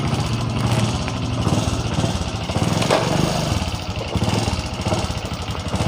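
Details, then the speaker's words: Honda Supra X 125 Karisma with weak power: under throttle the engine howls loudly and revs climb but the bike moves off slowly. The centrifugal clutch shoes are worn thin and nearly smooth, and the clutch bell can also cause this. Clutch slip. "Nah di sini pada saat kita gas ini motornya itu tidak langsung jalan ini motornya itu teriak baru jalan kita coba lagi jadi suara motornya Yang kencang tapi larinya pelan"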